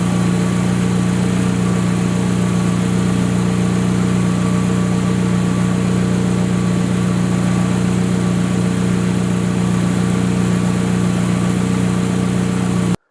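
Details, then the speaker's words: Honda S2000 engine, 38,000 miles, idling after replacing failing factory timing chain tensioner with Billman TCT: smooth even idle, steady low drone, earlier ticking from engine bay gone; repair fixed it. "Now I'm going to let you listen to the car, and as you can hear, there's no ticking, so the TCT has definitely done its job."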